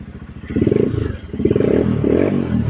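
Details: Supremo 150 motorcycle engine that ran out of oil, blipping the throttle. A loud, rapid clattering knock rides on each rev from oil starvation.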